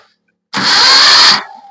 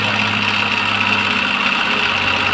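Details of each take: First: Maruti Suzuki Omni MPFI that stopped while driving with a small noise, now won't start: short, fast, even starter whir spinning far too freely with no compression pulses; broken timing belt. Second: Maruti Suzuki Omni MPFI that stopped while driving with a small clattering sound and wouldn't start; after correcting timing belt timing, it catches and settles into a smooth, even idle with no misses or knocks. Slight sluggish cranking from flat battery, dead alternator.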